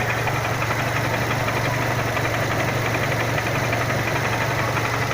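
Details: Renault Symbol 1.6 16v at idle: a loose, uneven knock of about two taps a second under the engine hum, source unknown. The owner had replaced the rotation sensor a week earlier, suspecting the old one was leaking.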